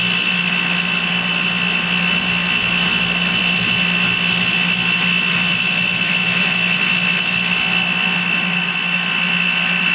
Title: pretty noisy 2015 carrier 5 ton ac unit running